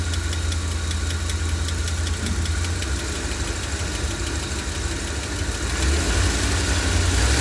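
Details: 1990 Ford E460 with 7.5 big-block V8 idling: light, fairly regular tick about four times a second over the low rumble; engine ticking, source not identified.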